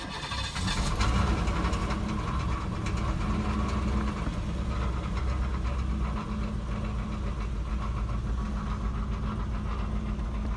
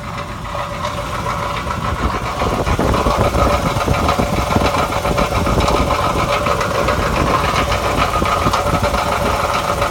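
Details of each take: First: 1991 Cadillac Eldorado, 80k miles, long sitting, needing a tune-up, with chunks missing from the belt and a falling-apart catalytic converter: it catches and settles into a low, even V8 rumble with steady firing, no knock or miss. Engine runs pretty smooth; normal idle. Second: 1991 Cadillac Eldorado, 80k miles, long neglected, engine running smoothly at idle: loose, uneven metallic rattle from the catalytic converter like marbles inside; exhaust rattle, cause suspected.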